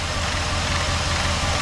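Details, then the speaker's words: Rebuilt 4.7 V8 in 2001 Jeep Grand Cherokee WJ, under hood: smooth even idle on all cylinders; owner suspected idler pulley noise, later found fan rubbing tucked cooling-fan wiring; power steering slightly low; normal idle. "but other than that we've got a relatively smooth running for seven"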